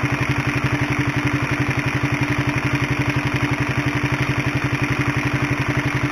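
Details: Honda CB150R at idle, recorded with a microphone close to the engine: a loud, even metallic clatter of about four beats a second over the exhaust, like a sewing machine or helicopter, from a noisy, worn cam chain due for replacement with a DID chain.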